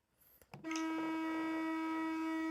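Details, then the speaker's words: Genuine Nintendo Switch Pro Controller HD rumble tested from the controller search screen after an A press: steady solid buzz at one fixed pitch with no pauses; healthy rumble, unlike the suspected fake. "You could probably hear the quite an audible solid vibration from the original Pro controller when I press the A button."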